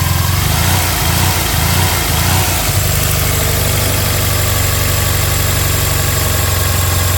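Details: Bug-eye Subaru WRX with a hybrid 2.5L engine, 1000cc injectors, Dom.3.0 and catless up/down pipes: the idle sits high and lopes unevenly for the first seconds, then steadies. A high, rough, hunting idle of unclear cause.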